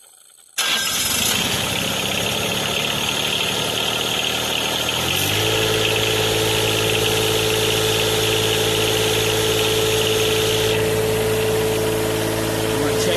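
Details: John Deere 1023E diesel tractor in neutral, just after fuel water separator filter replacement and self-priming of the fuel system: cranks briefly, catches and settles into a steady even idle with a clean hum; starts and runs normally.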